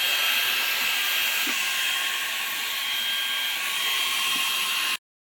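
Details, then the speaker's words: Perrysmith vacuum motor that kept jamming and dying from hair, now cleaned, drilled and with its bearing adjusted: a high, steady motor whine holding one pitch, with no stumbling or cutting out, running cleanly after the repair. "Ha memang macam jet eh vakum ni. Okey kita dengar bunyi tur dia."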